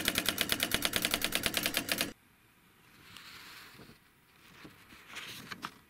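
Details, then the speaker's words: Brother WP25 or Panasonic W1525 vintage word processor, built-in daisy wheel printer printing: rapid even clatter of strikes, about ten a second, then quiet; working flawlessly, ink somewhat faint. Normal printing. "it's been a long time since I've heard the sound of the Daisy wheel printer working this thing appears to be working flawlessly"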